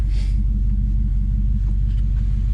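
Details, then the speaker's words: V8 SUV after tune-up and throttle-body cleaning of rust and carbon, cold air kit off: deep, steady idle with even beat, no misses or ticks, running smooth; normal idle. "So there we we go, cleaning all the crap out of it. Oh, and it's running so smooth."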